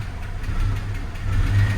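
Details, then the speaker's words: 2000 Jeep Cherokee XJ petrol engine idling rough once a little warm, low rumble surging and sagging; coolant in the oil suspected, oil pressure drops before shutdown. "oh she's running rough the engine got a little bit warm it's pretty rough"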